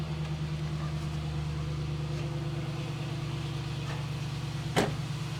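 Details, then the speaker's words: 1999 Pontiac Firebird Trans Am LS V8, brief run without coolant after fixing a no-oil-pressure problem, now showing lots of oil pressure and no leaks: steady, even idle with a smooth low rumble and no knocking or ticking; healthy. "won't let it run too long cuz we don't have coolant and stuff but it's sounding really good I don't see any oil leaks excellent"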